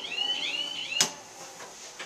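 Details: Montgomery KONE hydraulic elevator installed 1995: warbling high bird-like chirps for about a second, then a sharp clunk; elevator emergency alarm chirps instead of ringing.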